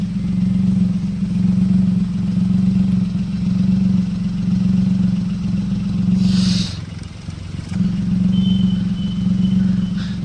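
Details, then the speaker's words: Car idling: exhaust chuffs unevenly, surging and sagging with a brief drop while the whole engine vibrates, air at the silencer coming in intermittent puffs, indicating an engine misfire. "अगर रुक-रुक कर हवा जा रही है और पूरा engine हिल रहा है तो उस केस में गाड़ी में मिसिंग होती है।"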